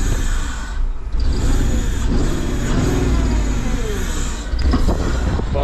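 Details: Porsche Cayenne that sat off the road for years; start after replacing the alternator, working on the starter motor and refitting the intake manifold, fuel rail, pipes and electrical connectors; catches and settles into a steady, even rumble with no misfire or knocking; healthy start.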